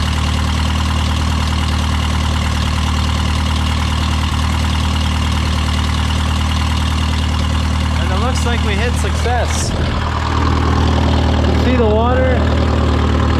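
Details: Case VAC tractor freshly started in the garage after a new aftermarket water pump was installed for overheating after a coolant change; cold, choke out, coolant flowing. Steady, even low drumming idle, no knocks or misses, smooth rhythm throughout; healthy.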